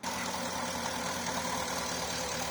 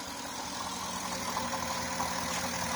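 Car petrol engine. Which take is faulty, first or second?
first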